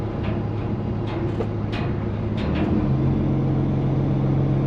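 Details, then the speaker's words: Dump haul truck diesel running while lowering the bed: steady rumble with loose, irregular metallic taps on top from the exhaust stack rain flap fluttering and rattling; noisy rain flap. "I don't know, we may have to do something about that rain flap up there, Gaddy. It's awful noisy, you hear it?"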